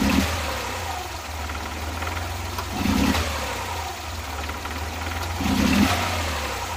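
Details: Suzuki Multicab F6A engine idling unevenly with an irregular tak-tak stumble every couple of seconds, no steady rhythm: random misfire at idle, cause not pinned down.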